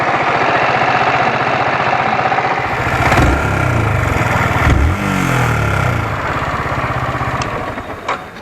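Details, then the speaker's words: Motorcycle at idle: a light, steady "kit kit" tick from the cylinder head, which a mechanic suspects comes from the rocker arms; the source is still to be confirmed. "I hope आप लोगों ने वो kit kit की आवाज सुनी होगी वो kit kit की आवाज आ रही है हेड से जैसा कि मुझे मैकेनिक ने बताया कि इसके हेड में जो रॉकर्स होते हैं वहां से यह आवाज आती है"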